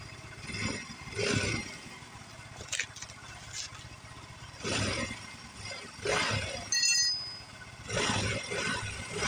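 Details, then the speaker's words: Yamaha Mio M3 scooter after repair, idling and revving in short blips: smooth, no valve ticking; rough ticking was caused by the camshaft and valve clearance setting. "Oke, jadi untuk suaranya sudah halus kembali ya. Jadi permasalahannya ada pada nukin as ya teman-teman, dan setelan klepnya."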